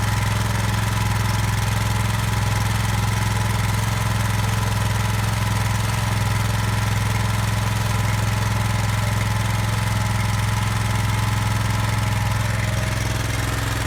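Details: Brand-new Subaru SP-170 5.7 hp single-cylinder engine, unboxed and started for the first time: even, steady putter with a strong low hum and no knocks or misfires; runs clean.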